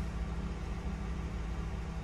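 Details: Ford Crown Victoria V8 after replacing the cylinder 8 coil for a P0308 misfire: low steady idle rumble with an even beat and no skips; check engine light off, owner unsure whether the spark plug still needs changing.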